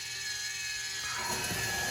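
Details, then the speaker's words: Water softener control valve with 9 years of dripping salt water, skipped out of its backwash clean cycle: thin, high-pitched motor whir with light gear chatter as it advances to the next state, water stopped. Normal. "You can hear the motor running again now to the next state. So the water stopped, the motor's still turning."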